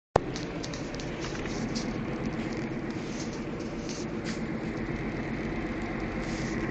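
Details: Ford Figo heard inside the cabin while driving: a low steady humming noise runs under constant road and tyre noise; the complaint is the cabin humming.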